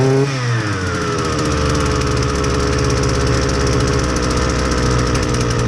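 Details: Husqvarna 326LD string trimmer, low on power and not running right, fresh clean fuel: revs climb then hang at a flat, labored buzz that never cleans up; stiff carburetor metering diaphragm starving it.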